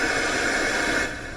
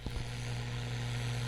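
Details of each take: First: Panasonic RF-2200 radio after repairing a broken wire or trace near battery corrosion, no antenna connected: loud, even hiss bursts out at power-on and then settles slightly lower; normal FM static with no station, radio works. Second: Panasonic RF-2200 radio after back-off repair, reassembled with external antenna, AM band at full volume: steady low hum under faint hiss, no stations though signal meter moves; AM reception still dead, shortwave only very faint.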